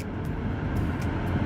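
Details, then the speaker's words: 2006 Nissan Quest heater blower after replacing the faulty blower, running with the engine off: steady low airy whir, no rattles or squeal; blower sounds normal. "So now once I turn the heater master, see, as you can hear, it's working."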